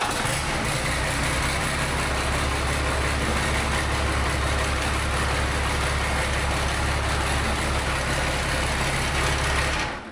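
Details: 12-valve engine in Jaguar off-road build, first-ever start: deep, steady low rumble at an even idle for ten seconds before switching off; engine starts and runs smoothly.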